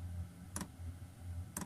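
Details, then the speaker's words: 2kW Chinese diesel heater in a Peugeot Expert camper, starting up after the fuel line was primed, with wind noise on the mic. Sharp single ticks about once a second over a low, steady fan hum. The fuel pump is metering normally. "It's not many seconds later, what you can now"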